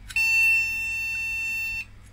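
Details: Retro MSI motherboard with AMD CPU, recapped by its owner, with known-good DDR RAM fitted: one steady high-pitched POST beep for under two seconds, board not detecting the RAM.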